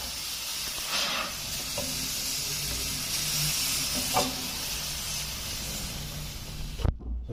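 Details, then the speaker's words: Single-door refrigerator not cooling, compressor hot, unplugged: opened charging pipe gives a soft steady hiss of escaping refrigerant, showing charge is still present, so no leak; fault is a blockage, filter/dryer to be replaced. "Ini keluar, cuman sedikit ya teman. Yang keluar kedengaran mungkin."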